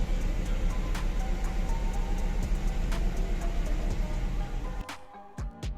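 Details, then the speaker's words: Audi A8 D2, hot no-crank fixed with a new wire from the relay box to the starter motor: hot engine starts and settles into a steady low rumble with an even beat; warm start works fine. "WARM START WORKS ALL FINE THATS IT"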